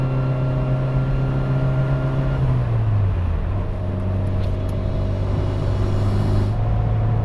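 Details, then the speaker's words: Evo with rebuilt transmission and twin-disc clutch, cruising on the highway in fourth gear: steady drone with a thin, even whine from the straight-cut fourth gear, normal for that gearset. "as i mentioned this transmission has a straight cut forth so you may be hearing a bit more of that wine noise right now i'm in fourth gear so it's got that fourth gear wind"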